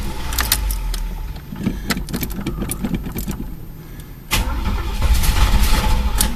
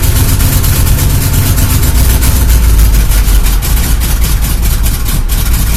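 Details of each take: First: Chevy El Camino parked about 1.5 months, broken gas gauge reading full: fast even cranking about three turns a second in three bursts, never catching; fuel filter bone-dry, no fuel because the tank is empty. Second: Chevy El Camino after sitting about a month and a half, gas poured into the carb, running ice cold on choke; deep steady rumble with even firing, no misses; normal cold idle, carburettor not gummed.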